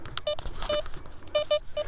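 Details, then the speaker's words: Velox 1 metal detector with sensitivity near 8.5, ground balance 3.5, iron disc 10, iron audio 0: scattered short chirps and blips with no target, falsing from sensitivity set too high for extra depth; stable again when reduced to 8. "As you can hear, the detectors, yeah, a little bit falsing, but I'm getting that killer depth that I want."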